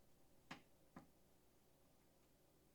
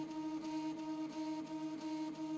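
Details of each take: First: Prusa i3 MK2 3D printer during axis calibration, a few sharp clicks then a rough buzzing drone as the axis climbs: the stepper motor is skipping steps. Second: Prusa i3 MK2 3D printer after axis squaring work; steady stepper motor tones with a soft pulse about every third of a second under faint music during the self-test, everything normal.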